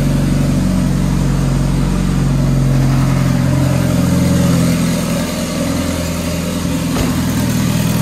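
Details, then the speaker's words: Dodge Caliber SRT4 first start after a Precision 6266 big turbo install, oil primed, still on the old tune: even, deep idle with a steady low rumble and a slight rev dip. It idles fine with no evident exhaust leaks. "so so well guys i'm going to call that a success uh the car cranks runs fine idle's fine of course we have to do a a new tune for the turbo"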